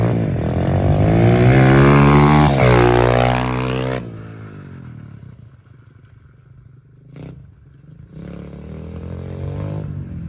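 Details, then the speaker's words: SSR125 single-cylinder pit bike on first test ride after rebuild (valve had been too tight): revs hard and clean, pitch rising through the gears up to third, then settling to steady idle; runs quick and well. Normal running. "think runs freaking good though it looks like it runs amazing yo pretty quick too"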